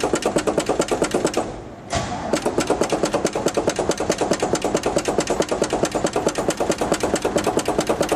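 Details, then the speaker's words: 1970 GMC truck, cold start with pedal pumping after new exhaust (2.5 in tubing to mufflers, 2 1/4 in out, 3.5 in chrome tips): brief crank, catches, settles into steady even exhaust chuff about twice a second; normal cold start. "We're gonna let her down and do a cold start with exhaust. And the tip look pretty good on there. So we get her start, see what it sounds like. So this is a cold start, pedal pumping with exhaust."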